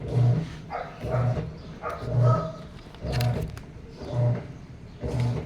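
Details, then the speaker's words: Sharp automatic washing machine reported as not draining, in wash cycle for two to three minutes: low motor groan pulsing about once a second with no water rushing in; agitating without filling water, cause not confirmed. "so hindi siya nagkakarga ng water ikot lang siya ng ikot ng"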